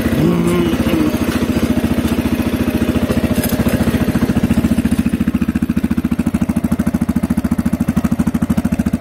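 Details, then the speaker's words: CSC RX3 single-cylinder motorcycle, first start after its first valve adjustment and reassembly, low on fuel after a gas leak. Even idle of about 3.5 beats a second with faint light valve ticking, which the owner is not concerned about; normal idle with light valve tapping. "i don't know if you guys can hear it like i hear it but the the valves they're a tiny just a tiny bit of tapping and um reading the csc website you know they said tappy valves or happy valves so i'm not concerned with that"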